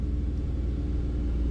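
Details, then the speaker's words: 2004 Chevy Silverado 4.3L V6 at idle: deep, slightly uneven rumble with a faint lope; random misfire and cylinder 3 misfires logged, codes also for MAF, O2 sensor and EVAP; misfire traced to a corroded distributor cap and rotor. "all right so at the moment we only have M fires on cylinder 3 the RPM a bit starting to show some on"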